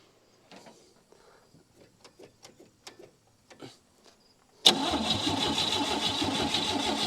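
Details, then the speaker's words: 1959 Chevy Biscayne sat years in a salvage yard, fresh battery, gas poured in, cranking: steady even cranking after a few clicks but never catches; weak spark from corroded points. "no dice all right let's pull those points out of there and uh really thoroughly clean them"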